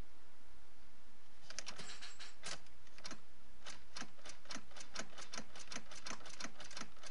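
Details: 2005 Subaru Forester 2.0X that won't start: sharp, even rapid clicks at about three to four per second with no cranking or engine noise.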